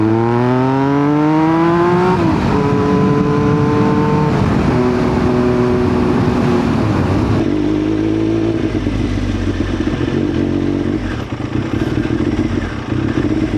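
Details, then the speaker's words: 2000 Triumph Daytona 955i in third gear at low rpm: revs climb and fall unevenly, then it sputters and sags on throttle. It also dies at idle; an incorrect Power Commander map is suspected, not confirmed. "Like I'm in third gear. See? Oh, I give it throttle. It sputters."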